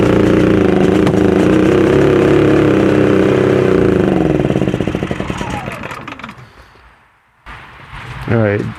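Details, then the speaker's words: Generator, pull-started on propane with a low battery, chugs roughly and unevenly, sags and dies, then briefly restarts; rough running and surging, choking itself out, plug reading a little rich. "Definitely runs rougher on the propane. Um, and definitely sounds like it's choking itself out."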